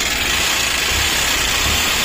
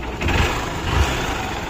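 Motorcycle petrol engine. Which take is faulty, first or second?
first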